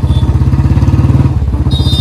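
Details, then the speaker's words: Royal Enfield Standard 350 with free-flow C-bend exhaust, after fitting a gas-kit ring to the bend pipe: louder, steady deep single-cylinder thump, no more popping on throttle release, no gas or air leak; normal exhaust note. "भाई आवाज में तो फर्क आ गया इसकी आवाज और ज्यादा लाउड हो गई है पहले आवाज जब मैं रेस रिलीज कर रहा था ना तो पहले आवाज बग भग कर रही थी इसकी अब नहीं कर रही"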